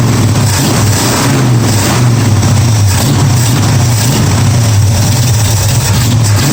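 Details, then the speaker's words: 1965 Mustang V8 on a test Holley carburettor: lumpy, uneven running with a stumbling low beat that never settles, misfiring on about four cylinders; owner suspects the carb isn't supplying fuel, possibly to one side, not confirmed. "That obviously wasn't better. Sounded like the plug wire's off, not getting fuel. Something bad. It's only running on about 4 cylinders."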